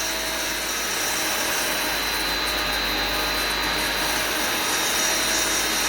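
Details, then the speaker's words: Pump running around 75 PSI, single unit: steady hissy mechanical whir with faint ticking rub about four times a second; a rotational noise following speed, suspected pump bearing problem rather than check valve, not confirmed. "Now, what you do have potentially, it's a pump bearing problem. You hear it? Yeah. Well, he told me not to check valve. No, that's that's a rotational problem."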